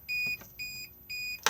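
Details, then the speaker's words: 2021 Auto-Sleeper Warwick Duo motorhome, Dometic three-way fridge on gas: three short, high, evenly spaced beeps about half a second apart signal gas ignition failure; pressing the button reattempts lighting, may take several goes after a gas refill. "If when you press it you get this noise, just press this button just here and then it will reattempt to light itself."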